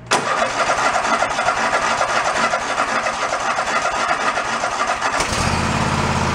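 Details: Toro zero-turn mower that sat about 10 years, started on choke at about quarter throttle: it catches within a second and settles into a steady running beat, then the tone shifts as load comes on. Running normally.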